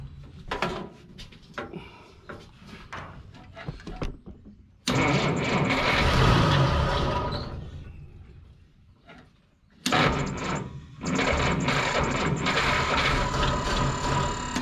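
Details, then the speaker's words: 1955 Willys Jeep wagon flathead: several bursts of slow, labouring cranking with pauses between tries; the starter sounds unhappy and is smoking, likely done and needing replacement. "the starter does not sound happy anymore no she's smoking too"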